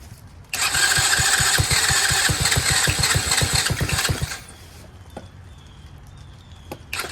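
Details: Chinese Tao Tao 125cc ATV quad with new carburetor, on choke: rough pulsing run for about four seconds, dying to quiet once off throttle; carb idle screw set too low, to be turned in half a turn.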